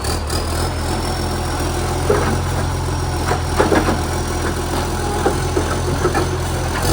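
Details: Canada Bay garbage truck SL780, Euro 3-style Euro 5 facelift diesel idling with loud raw exhaust note, puffing chuffs as it picks up, air brake hisses; exhaust pipe leak making revs much louder; later fixed.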